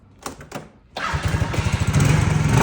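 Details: Lexmoto moped, after fixing no-spark by disconnecting the side stand switch: near quiet, then the small engine catches into quick even putt-putt beats building slightly; clean normal start.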